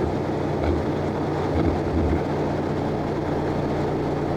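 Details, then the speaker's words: Class-A truck diesel during CDL pre-trip air test, fast idle to build air pressure until governor cut-out around 120-130 psi. Steady raised diesel drone, even low tones, no knocking or hunting: normal fast idle. "हम जो करने जा रहे हैं वह हम करने जा रहे हैं हमें 10 और 15 आरपीएम के बीच ईंधन दें, हवा का दबाव ऊपर तक लाएं गवर्नर थूकता है."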